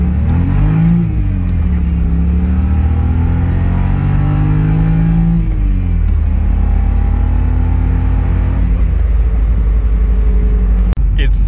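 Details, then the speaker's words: 2006 BMW 325i E90, N52 engine, after fitting Condor 70a polyurethane transmission mounts: a deep droning rumble that swells with revs, booming through the chassis into the cabin. The stiff mounts raise resonance, making it sound like a muscle car or an exhaust. "but it makes the n52 sound like a muscle car because it's just the resonance through the chassis it's funniest like just listen"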